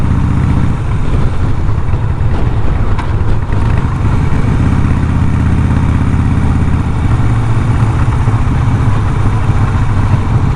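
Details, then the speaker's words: 2007 Harley-Davidson Night Train V-twin riding: sharp exhaust crackles and popping when going off throttle; rider blames a poor dealer tune, needs a tuner, not confirmed. "You can hear it popping and farting. It's like, that's especially when you're on back to off throttle, it popping and farting. It sounds like a freaking popcorn machine."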